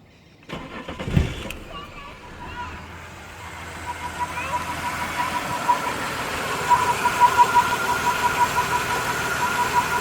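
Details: Holden VY Commodore 3.8 V6 Ecotec: cranks, catches and settles to idle, then a steady mid-pitched hum builds over the running engine; weird humming from the engine, source unknown.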